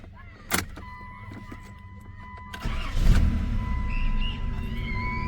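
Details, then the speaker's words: 1990 Chrysler New Yorker after brazing leaking fuel rail and refitting injectors, fuel pressure gauge fitted: short crank, engine catches quickly and settles into steady even run; fuel pressure just above 30 versus zero before; normal start. "fired right up [Music] wow right above 30 I'm not sure the exact specs but better than zero which is what was happening before so I think we did fix our issues"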